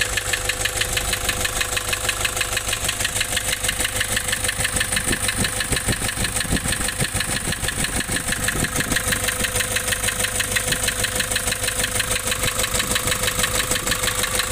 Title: Nissan Urvan Estate ZD30 E25 rough idle and white smoke loss compression